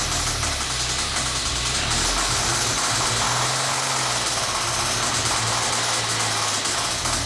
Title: 1998 SVT Contour bad rod bearings.mpg